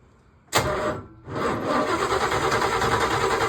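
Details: C3 Corvette, distributor cap removed: starter clunks in, pauses, then spins engine at steady even cranking beat that never fires; crank no-start from no spark, failed ignition module/pickup.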